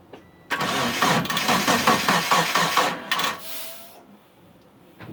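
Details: Mitsubishi Eclipse after about 8.5 years sitting, fuel and spark confirmed, timing set, weak battery on charger: starter spins engine with even compression pulses for about three seconds, never fires, crank no start; owner suspects the crank position sensor.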